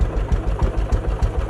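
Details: Case 444 tractor revived after sitting behind a barn, first start: steady, even single-cylinder thumping a few beats per second, regular with no misses. Normal idle.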